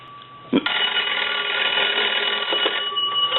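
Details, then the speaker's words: Dean Electric Company wood wall telephone, after repair and rewiring for a modern system; bright, sustained bell ringing that stays clear and even throughout, the bells striking cleanly. "so now that everything's been taken care of and repaired and converted what we want to do is we want to go ahead and ring this telephone"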